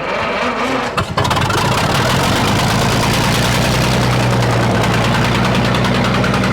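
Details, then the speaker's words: Sawmill engine (56-inch saw) started with gas on, magneto on and choke: cranks, catches after about a second and settles to a steady, even idle as the low oil pressure shutoff switch flips down; healthy start. "as the oil pressure builds the low oil pressure shut off switch flips down"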